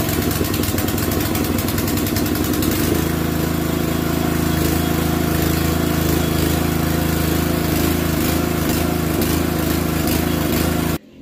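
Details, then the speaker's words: Gasoline pressure washer before pump alignment: loud, rough engine drone with heavy throbbing hum and busy rattle, very noisy with strong vibration; misaligned water pump shaking the unit, later fixed by aligning and adjusting the pump. "Yan, kung mapapansin nyo mga kapigmate, sobrang ingay niya, tapos napakalakas ng vibrate niya."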